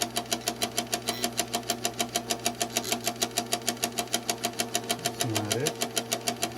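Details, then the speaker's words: Insignia NS-IMN44BS4 nugget ice maker, top cover off, some water in, power on: sharp regular knock about twice a second over low motor hum, traced to auger gear motor area. "I'm just going to see what that noise coming from right feels like something touching just"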